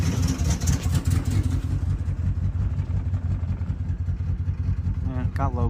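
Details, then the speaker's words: 2008 RAM 1500 4.7L with P0300, at idle with the brake booster vacuum line plugged back in, all injectors tested and coils replaced, fuel smell in exhaust: idle stumbles with an uneven, lopsided low beat; still misfiring, owner suspects clogged emissions. "So, [Music] [Music] something's clogged for the emissions. It's the way I see hear it. Still misfiring though."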